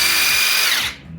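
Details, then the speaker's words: Makita 40V brushless cordless 3/4 impact wrench after regreasing impact mechanism, fixing motor noise thought to be bearing/bushing play: smooth even high whine, clean wind-down, no growl or rattle; motor now runs smoothly. "então acaba sujando mesmo giro do motor ficou macia agora"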